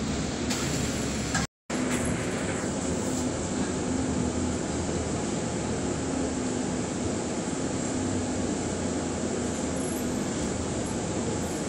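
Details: Bus SLN 36688 on LB route 181: a loud, steady low hum rides over the rumble of the bus as it slows, holding a fairly even pitch toward the stop.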